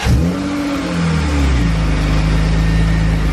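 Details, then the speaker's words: BMW E36 drift car after new exhaust gaskets were fitted: the engine blips, drops back and settles to a smooth, steady idle with no ticking or puffing; the exhaust is not blowing and it sounds healthy and sealed. "Sounds good to me, mate. Is it blowing? Yeah, all good."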